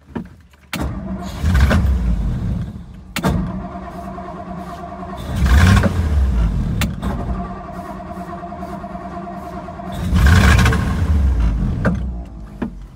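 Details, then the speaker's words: 1956 Ford Thunderbird with rebuilt OEM fuel pump: three throttle blips rise sluggishly and sag back to steady idle, a stumble on acceleration. Accelerator pumps suspected, since it idles fine, and fuel flow checked at the carb. "Yeah, it sounds like the accelerator pumps. Because once you get her idling, she's good."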